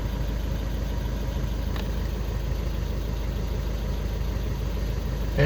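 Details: Skoda Octavia 2 diesel after crankshaft sensor (G28) replacement and fault clearing, cured of no-start/hard-start with glow plug light: steady low diesel rumble at an even idle, no misses or knocks; normal idle.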